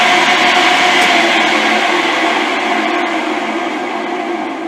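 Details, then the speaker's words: Rotary phase converter motors running flat out give a loud steady howl with rough hiss from worn bearings, recorded before fitting new bearings. "because right now these motors just howl there's the first motor back"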